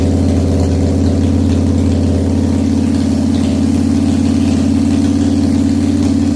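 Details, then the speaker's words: 1997 Harley FXDWG, odometer 6,948 miles, first start after S&S carburetor repair and crankcase vent update kit: cold V-twin settles into a steady loping idle, about three beats a second; runs, but idle still needs adjustment. "okay so it's started think I will now uh play with it and try and get it the idle better cool"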